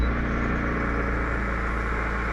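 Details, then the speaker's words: Inverter generator interference on an HF ham receiver, with the AC load shut off but the extension cord still connected: steady rough buzz and low hum under the hiss, still loud; the cord, not the generator itself, makes most of the noise. "So, as you can see, the generator itself isn't terrible, but once you get a cord hooked up, definitely make some noise."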